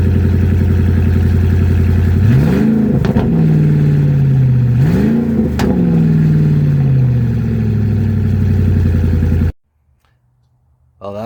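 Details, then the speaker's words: Ford Super Duty with the muffler cut out at the Y-pipe and the tailpipe left on; deep loud rumble with two throttle blips, then crisp pops and backfires as the revs fall. "pretty mean with their wide open like that I don't like how it pops and backfires though"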